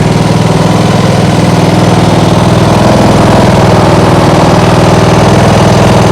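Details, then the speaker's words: Small single-cylinder lawnmower engine (2010) on an outboard rig, idle settled after adjustment, now starting without choke: even, steady putter at constant speed, no hunting or stumbles; stable normal idle, something getting hot. "It seems to be running stable. Good enough."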